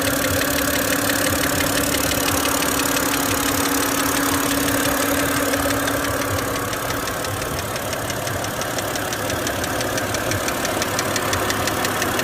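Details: BMW engine idling with a sharp, regular ticking knock about three per second; cause not evident.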